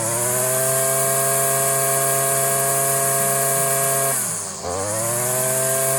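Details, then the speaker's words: Stihl FS56 string trimmer at full throttle, line shortened to about 5 inches; high, steady two-stroke scream that dips briefly under load and recovers quickly; strong, healthy rev. "That's actually a little better right there for that especially for that taller stuff."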